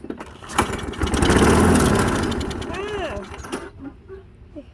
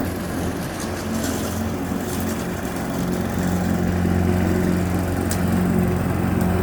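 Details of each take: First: Push mower that only starts on starting fluid or carb cleaner fires and revs for a few seconds, then sags and dies; gummed carburetor with bad float needle, ultrasonic cleaning failed, carburetor replaced. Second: Push mower, previously running only on starting fluid, now mowing on old fuel, cutting about half to one inch of grass: steady single-cylinder drone holding pitch through the grass, no misses or surging; running healthy under load.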